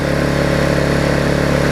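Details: Vulcan 18" mower's 3.8 horsepower two-stroke, revived with a new intake pipe and a freed rusted flywheel/magneto, buzzes at a steady fast beat with no stumbles or rattles; clean, even-running engine.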